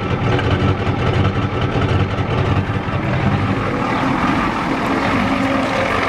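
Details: 1993 Ford F-250 XLT 7.3L IDI diesel, sat about a year, weak battery, cold start at half throttle: heavy clatter with uneven lumpy beat, engine shaking; owner suspects it's out of time and the injection pump needs replacing; unconfirmed.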